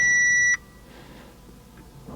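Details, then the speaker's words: Audi RS5 with a suspected V8 problem: a single dashboard chime at ignition warns of low battery charge; afterwards the car won't crank, only relay clicking, and the owner suspects a blown starter fuse. "Low battery charge."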